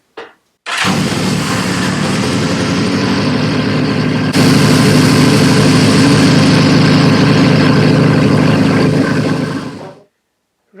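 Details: CB550 four-cylinder fires and runs smoothly and evenly with a brief step up in revs after a couple more taps on the carb seemed to sort it. The charging system is checked next and is found to be charging, but not enough.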